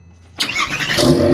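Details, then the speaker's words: Porsche 911 997.1 Turbo, manual, after replacing sluggish, intermittent starter with new Bosch unit: starter engages crisply and spins the engine quickly and evenly, much faster than before; normal starter cranking. "so as you could hear the new starter so much faster and I didn't change anything else"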